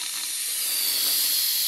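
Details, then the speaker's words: Ram pump supply pipe to chicken watering bucket float valve, valve just opened: steady sharp hiss with no water gurgle yet as trapped air bleeds out ahead of the water. "let all the air out of this pipe there's a good bit of it in there you can hear it cycle hit the pump"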